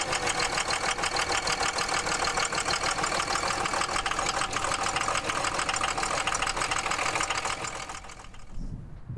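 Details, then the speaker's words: Diesel truck idling with heavy clatter and uneven beat: rough idle, worst in traffic at stop lights; no fault codes present, so a cylinder cutout (injector kill) test is planned. "today we have this truck here because the customer complaint was that it was running rough at idle in particular in traffic pulling up the stop lights"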